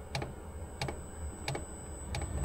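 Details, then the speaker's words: Chinese diesel air heater (Sirocco/Webasto type, Smart Heater) in Opel Vivaro van, recorded inside van during warm-up, consumption 110 W: sharp single ticks roughly every two-thirds second over low hum; normal dosing pump ticking. "मैं वैन में वापस आ गया, पंप चालू हो गया, अब तक यह शांत था, मैं शांत रहने की कोशिश कर रहा हूं ताकि आप सुन सकें। खपत 110W पर है।"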